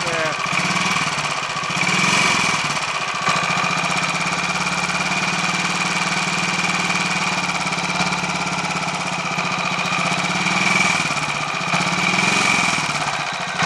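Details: Royal Enfield 500 Machismo electric-start single, warm, after fix of starter noise caused by a small oil-holed spindle fitted the wrong way round, 20W-50 oil in sprag area: steady even thumping idle, no rattle or knock; normal idle, much better.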